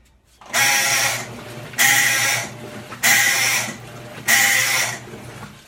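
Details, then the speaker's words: Electrolux 12 kg top-load washer during agitation, lid open: harsh rasping groan on every stroke, about one every 1.2 seconds; broken agitator ratchet with displaced spring causing agitation noise. "já mostraram lgbt 12 quilos da electrolux e ela tá fazendo um barulho muito estranho na agitação"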